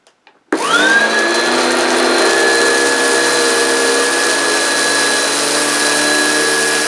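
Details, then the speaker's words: American-made vacuum cleaner tested on carpet: the motor spins up in about half a second to a loud, steady high whine that holds even; very noisy but normal running, and it picked up all the hairs. "it's got all the hairs so despite the fact it's very very noisy it has done a good job"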